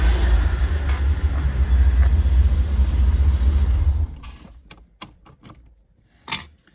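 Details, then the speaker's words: 1985 C4 Corvette V8, timing still to be set: deep, steady idle for about four seconds with no misses, then shut off followed by a few clicks; sounds much better. "So I'm very happy. She sounds a whole lot better than she did."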